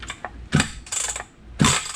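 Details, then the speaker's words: Reassembled Stihl 031 chainsaw turned over with the recoil starter: each pull gives short ratcheting clicks without properly turning the engine over; the starter is slipping even though the pawls move as they should. "So yeah, the starter's slipping for some reason. What's the deal with that?"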